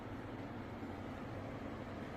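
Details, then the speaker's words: Turbro mini split indoor unit in cooling mode, supply air at 54°F, with the fan speed switched to turbo: loud, steady rushing air with a low even hum and no rubbing or rattle; the fan runs normally at high speed. "Now I'm going to adjust the fan speed, push the speed button, and you can turn it to turbo."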